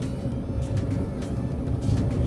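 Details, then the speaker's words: 2008 GE Profile gas dryer DPGT650GHWW after cleaning: burner flame kicks in with an even roar over the steady low rumble of the tumbling drum, no knocks or squeals; running normally, roller bearings checked solid except slight play in the back one. "but you should be able to hear the flame kicking in yep kicked in hear the flame going"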